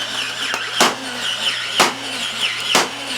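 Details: Original obsolete R.A.D. toy robot on a temporary taped battery pack, system check with arms closing and opening: short whirring motor bursts about a second apart, running cleanly without grinding; normal motor operation.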